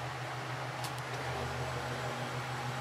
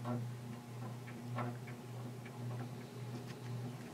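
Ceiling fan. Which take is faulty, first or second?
second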